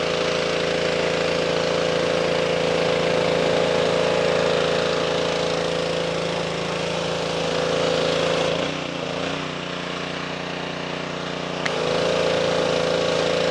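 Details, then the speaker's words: Simpson 2.4 gallon petrol pressure washer after replacing the pump for lost pressure (unloader repair failed), possibly some air still in line: steady even engine hum dips briefly with load change, then recovers; pump building pressure normally. "okay equit that is a success as you can see pressure washer right here um it's working now um I did have to change the pump"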